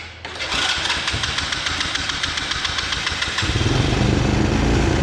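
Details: Kids' 125cc Chinese ATV that takes a long time to fire, after carb clean and spark plug change, mixture screw at four turns out: catches after cranking, runs in a fast, uneven patter of firing pulses, then settles lower; hard starting, possibly not enough fuel.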